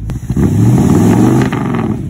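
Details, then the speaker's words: 1958 Chevy Bel Air with a 348 big-block V8, sat since the 80s: deep, clean revs with no misses or knocks. It smokes heavily from oil poured down the cylinders and a first start on a gas and transmission fluid mix, but sounds healthy. "sounds good yeah it smokes but it sounds good she's a smoking pretty damn bad but I put quite a bit of oil down the cylinders"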